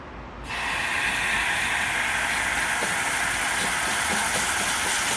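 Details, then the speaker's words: 450 dirt bike fuel injector removed for bike bogging, being cleaned on the bench with a cleaning kit: steady sharp hiss with faint clicking pulses underneath as cleaner sprays out, showing the injector works. "I want to hear if I hear it clicking if you can't hear that I do hear and see stuff is coming out of the injector so it's working"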